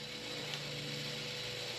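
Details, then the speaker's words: RV factory Jensen radio/CD unit: faint steady whirring with light gear chatter keeps going while switched off and unresponsive to buttons, like the CD motor never stopping; owner suspects it is draining the battery. "it's like the CD motor is spinning or running even though I'm trying to I cut it [Music] on I hit a button nothing is happening so this has been I believe this has been the culprit for my battery dying"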